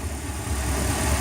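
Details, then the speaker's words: Boat inboard idling smoothly with a steady, even low rumble and no misses, knocks or surging after new spark plugs; it had been hard-starting and capped at 4,000 rpm instead of 5,000. Two minutes of running with no issues. "I've been riding for two minutes now no issues exploring"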